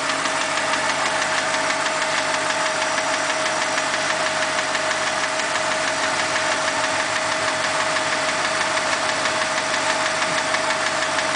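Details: BMW 545i V8 at idle: fast, fairly steady light ticking, roughly three ticks a second; engine ticking, source undetermined.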